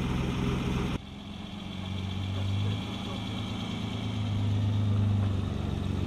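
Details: 1962 Austin-Healey 3000 MK2 BT7, one-owner car being started: engine catches after a short crank and settles into a steady, even low idle with a smooth rhythm, sounding healthy; normal start and idle.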